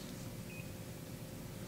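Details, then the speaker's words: Daikin RA split system indoor unit, fault code retrieval by holding remote cancel button: single short high beep over low room hum means the displayed code is not the active fault; a long beep marks it. "while you'll hear a series of short beeps we are looking for a long beep that identifies the active code"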